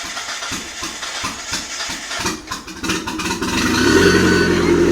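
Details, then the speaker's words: Used 85,000 km Mitsubishi Airtrek Turbo R engine test-run in a half-cut, fed from its fuel tank: starter churns about 1.5 s, catches, settles to smooth steady idle; starts well, good compression, no major vibration or smoke. "km idles nicely starts well running off this fuel tank no major vibrations nice compression no smoke coming out"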